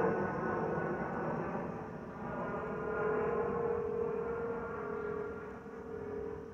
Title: Delta Airlines Airbus A319-114 N351NB DL2170 LGA-DTW (FOPP whistling sound)